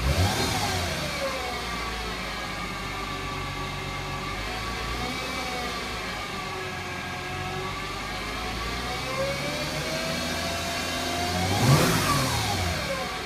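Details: 2008 Mercedes-Benz C300 V6 with stock exhaust, cold start and revving; thin whine rising and falling with revs from the failing alternator, gone after the alternator was replaced.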